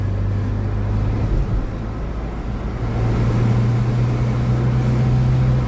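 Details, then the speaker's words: Austin Ambassador Y-reg automatic after gearbox fix: pulling from a stop in first, drone rises then clean step in pitch into second; smooth upshift, gearbox working properly. "Performing nice. I'm happy with that. So, let's go from a stop into first into second."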